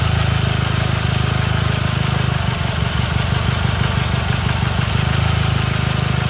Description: Chevrolet Cobalt com falha intermitente em um cilindro.